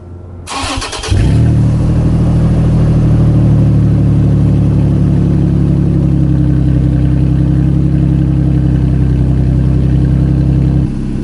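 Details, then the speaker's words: 2nd-gen Toyota Tacoma exhaust completely unbolted at a disconnected joint ahead of the muffler: quick start, then a loud, deep, throaty idle with strong low drone; open exhaust leak. "but before we do that i need to get a sound clip of this completely unbolted and show you guys why i kept unbolting it so much when i first got this truck because it sounds amazing"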